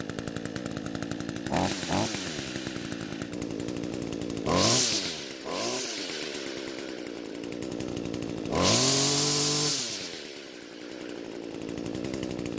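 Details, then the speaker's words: Echo two-stroke trimmer after replacing the carburetor diaphragm to cure weak fuel flow: steady idle, revs cleanly on three throttle blips and drops back without stalling, running properly. "And it looks like the new diaphragm is what it needed because the fuel is flowing at a much better rate now."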